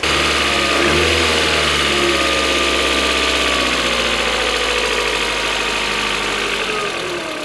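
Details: 1994 Mercedes W202 C220 bought for parts, running with a full tank, coolant under 40 degrees: engine settles into an even, steady idle with no knocking or misfire; slight rattle on top but runs fine.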